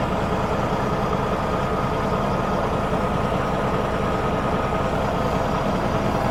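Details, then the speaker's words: Cat diesel in a Kenworth W900 during reassembly, at a steady, even idle with a smooth low rumble and no knocks or misses; the engine sounds good and healthy. "Cat motor sounds good."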